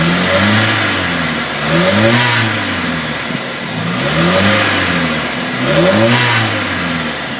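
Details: 2000 Chevy S10 with the 2.2 engine revved up and down several times: a loose rattle comes in as revs rise. Source unknown.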